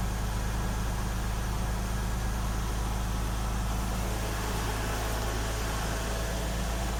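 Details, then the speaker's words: 2000 Lexus RX300 with a misfire (codes P0300, P0302, P0304), idling before the coil is replaced. Steady, low, even idle hum that never climbs. Owner suspects the idle air control isn't working; cause not confirmed. "something's going out with our idle layer control now it doesn't want to it doesn't want to work"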